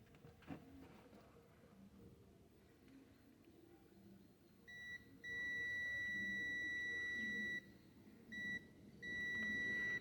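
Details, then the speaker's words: Rossi electronic gate remote control, multimeter continuity test on a worn button with its return spring missing: steady high beep almost continuously, even before full contact, because the button is shorted with no return function and needs replacing. "Então já não já não funciona mais como retorno né já não tem aquela função de retorno esse aqui já tá dando continuidade direto até de encostar lá esse já não presta mais"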